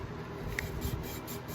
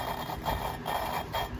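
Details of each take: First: Engine valve being hand-lapped with grinding compound: soft even swishing as the valve twists on its seat, no longer gritty, indicating a smooth, properly seated lap. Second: Engine valve being hand-lapped with grinding compound, rhythmic gritty scraping with each twist of the lapping tool; valve and seat not yet seated, grinding fades as lapping continues.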